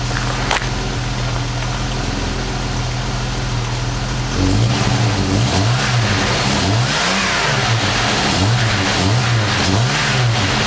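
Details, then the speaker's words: Jeep Wagoneer XJ cold start after several days sitting, fuel pump ballast resistor bypassed to fix a hot no-restart: took a few cranks, then steady even cold idle with no knocks or misses, alternator charging whine in the background. "took a few cranks but she started see was good alternator's charging living that life and she's cold"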